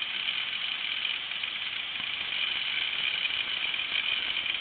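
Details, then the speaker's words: Old 8GB IDE hard drive run in an external enclosure: thin steady high whine from the spinning platter with faint soft ticks as the head seeks; normal spin and seek with no clicking. "hopefully this will seek up and it is you can hear it wearing seeking now that's awesome"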